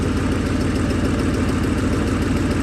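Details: 2008 Ford Mustang GT (S197) V8 donor engine with 75,000 miles, just installed as a replacement for the noisy original; smooth, even idle with steady low rumble, no ticking or knocking, sounds perfect.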